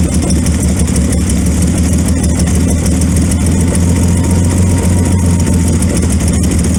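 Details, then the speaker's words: 1928 Franklin at first start after 71 years off the road; loud, uneven low chugging rough running with irregular beats; it runs better with the timing advanced, and retarded ignition timing is suspected as the main problem. "I think that's most of our problem is our timing's retarded."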